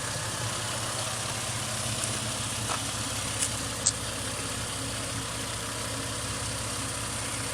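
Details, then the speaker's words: 2005 Ford Mustang just after engine rebuild and timing, fuel drained and new fuel filter, first start after sitting 3 years: low, steady, smooth idle with even beat, no knocks, misses or hunting, no dash warning lights; normal idle. "I got no lights on the dash. Hell yeah, guys. It's smooth. Really smooth."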